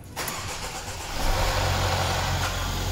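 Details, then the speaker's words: 2013 Mercedes E-Class coupe (207) with M274 engine, 33,000 km, first start after timing chain repair with intake camshaft phaser fitted and pulse wheel secured for intake cam position codes: brief crank, catches at once, settles to smooth idle, loud as usual until oil pumps through. "громко как обычно масло прокачалась всё прекрасно дальше работает"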